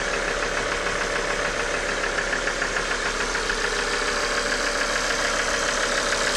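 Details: Idling engine with fast even ticking knock about three per second from failing injectors and oil pump; diagnostic tool showed no fault, noise gone after replacing injectors and oil pump.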